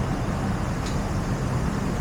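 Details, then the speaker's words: Honda Integra DC2 (JF), AC compressor wired up and put in test mode, engine idling: one short faint click near the one-second mark over a low steady idle as the compressor clutch pulls in cleanly; AC request button still not working. "But I'm going to put the compressor into test mode, and you'll hear a singular click."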